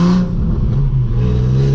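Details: Nissan 350Z with a newly installed aftermarket Z1 Y-pipe but an OEM muffler, the pipe end stepping to 3 inch and not matching: a loud, raspy, blatty note rising with throttle, with a coarse puffing rasp. Exhaust leak at the mismatched pipe joint.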